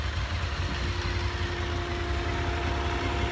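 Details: Honda VFR 750 warm idle after clutch basket repair (hot knocking from the basket, worse with clutch pulled, before): smooth, steady low rumble with a fan whirring, no clutch knock; normal idle.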